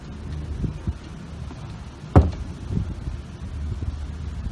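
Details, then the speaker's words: C7 Corvette Stingray with aftermarket lambo/scissor doors: soft rubbing as door lifts then one sharp pop midway as door edge rubs the fender; owner suspects door needs shifting backwards. "See, I don't know if you can see it kind of rubbing up against that panel, the fender. You can kind of see it popping, and you can kind of hear it too."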